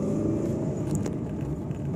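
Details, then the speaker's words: Fiat Uno 2011/12 driving on asphalt after fixing the passenger-door rattle: steady low road and engine rumble with no more door banging or tapping. "ó não tem mais barulho no asfalto tá vendo aquele barulho que tinha não tem mais"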